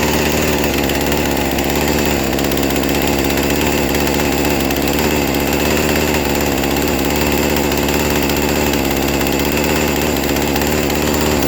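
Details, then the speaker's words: Poulan Pro chainsaw bought needing a tune-up, idle just lowered via carburetor screw: fast, buzzy idle holds steady without settling, high enough to keep the chain creeping; owner suspects previous owner's over-tuning of the carburetor is the cause. "so it seems like the previous owner might be tuning this and and might be playing around with this like way too much that's probably causing that chain to keep on going as you were hearing and stuff"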